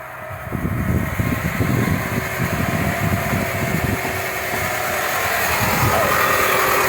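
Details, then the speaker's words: Dodge (Avenger/Journey/Chrysler 200 family) engine at idle: steady rough, gritty whirr over the engine that doesn't change pitch; alternator vibrates to the touch and is the prime suspect for a worn bearing. "Está todo lleno de polvito ahí el alternador A menos que sea otra cosa una sorpresa pero siempre toco el alternador"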